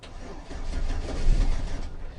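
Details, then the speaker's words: 2004 Chevy Silverado 4.3L V6, came with dead battery; low churning starter crank with no firing or catch, crank no start, spark missing, traced to faulty distributor cap and rotor. "as you can see it wants to turn on but we don't have nothing"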